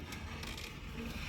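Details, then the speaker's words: Sliding door/window panel with a seized wheel on its track: quiet uneven dry scraping grind as it slides; seized roller grinding. "You can hear it grinding, like it's just not ideal."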